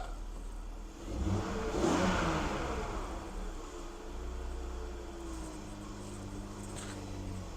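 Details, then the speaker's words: BMW E46 330i, mic near engine: quick rev blip settling back to steady, even idle with no knocks or misses, exhaust not smoking; normal revving, though power steering pump is noisy and may need fluid. "it is running really good let's take a look at the exhaust it hasn't been smoking which is great after running it that first day"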